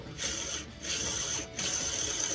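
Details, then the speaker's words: Transmission bearing from a 1966 VW bus (Combi), removed after bolts backed out and broke, spun by hand with a dry, gritty ratcheting rattle in bursts; rough, worn bearing, possibly overheated. "you hear that bearing bearing is really bad so that's probably one of the the reasons because this bearing was getting hot or something because it sounds really bad"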